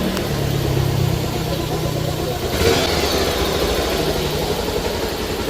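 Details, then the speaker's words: Bajaj Pulsar 180 single-cylinder after replacing timing chain, chain pad, tensioner, engine oil, clutch and head gaskets: idle and blips stay smooth and even, no ticking or chain rattle; engine noise fixed. "तो इसमें जो जो problem था दोस्तों उसको हमने सारी problem को सॉल्व कर दिया है और आप साउंड सुन सकते हैं साउंड इसका काफी अच्छा सुनने को मिल रहा है"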